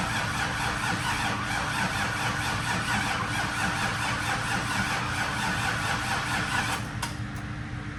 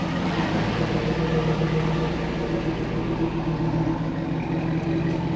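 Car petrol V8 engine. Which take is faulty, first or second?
first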